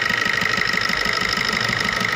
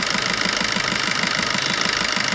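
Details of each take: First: Maruti new Swift diesel idling: sharp regular knocking rattle, about six or seven knocks a second, with white smoke when revved. The No. 1 injector's return is double normal, a faulty injector. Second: Maruti Swift diesel idling after servicing the No. 1 injector, whose return was double normal and had caused regular knocking, vibration and white smoke; now an even soft clatter, no knock, smooth running.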